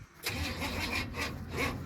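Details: Truck with a newly fitted dual-plane intake and carburetor, cranked in cold weather: slow, labouring crank with uneven bursts every third of a second that never catches. Too much ignition timing; hard cranking.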